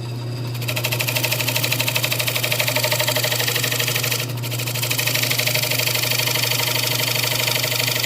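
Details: Wood lathe turning a poplar slab bowl: steady thump about three times a second over the lathe hum, out-of-balance wobble as the blank has likely warped.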